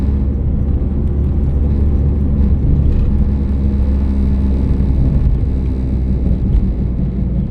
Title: Humming noise and cricket cricket noise